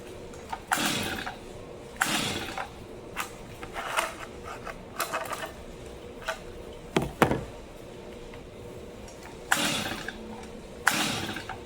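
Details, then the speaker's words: New, never-used Stihl MS 250 chainsaw, choked: separate rasping starter-cord pulls every second or two with no pop or catch; won't fire at all, spark not yet checked. ">> Nope. No, it didn't even want to fire at all."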